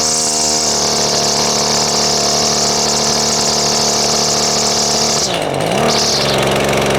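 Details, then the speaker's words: Husqvarna two-stroke string trimmer after only running on choke; high steady buzz that sags and stumbles before catching; high and low mixture settings and idle are off, cause not confirmed. "let's start it back up because it's obviously got problems with the uh high and low settings and the uh idle is not right"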